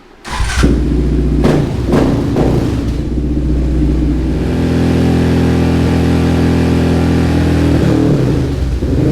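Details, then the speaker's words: 2019 Yamaha Raptor 700 Special Edition, built top end, Dasa full exhaust, new Vortex ECU dyno-tuned: single settles from a blip into steady even idle, no popping, misfire or fireballs; normal idle. "no it doesn't pop at all no no Fireballs n it's running really great"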